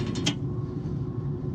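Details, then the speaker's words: Rooftop HVAC unit blower before repair: steady low hum with a faint mechanical rattle, unit shaking slightly; blower wheel bearing housing held by only one bolt, other bolt holes stripped. "They say sometimes it sounds like it's thumping around. Sometimes it sounds like it's normal. I could hear a rattle here."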